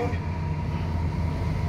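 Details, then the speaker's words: About 20-year-old LG automatic washing machine, repaired for not draining and no spin by replacing the drain motor: the spin cycle is a smooth, even low hum with no grinding. Gearbox and bearing run quiet, so this is a normal spin. "kasi nagiging sakit ng mga washing machine ko minsan 5 years mga maingay na yung gearbox yung bearing maingay na pag nagspin dry ito tahimik tahimik"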